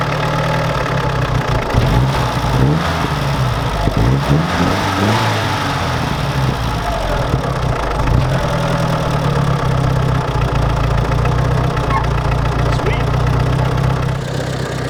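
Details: UAZ 469 (old, modified) running after a fuel blockage, likely in the tank or hose, cleared; idles and revs cleanly, pitch following the throttle, no sputter or cutting out; running fine.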